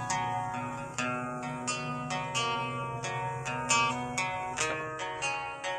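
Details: Orange JBL Go Bluetooth speaker, model unknown, after fix of distorted sound: plucked-string music crisp and clean, no crackle, buzz or rattle on peaks; distortion gone.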